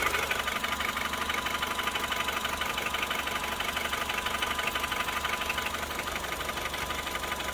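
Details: Honda Civic 8th gen FD2 with K20Z2 engine at idle: light, even ticking about three times a second over a steady idle, seemingly from the top end; source not found.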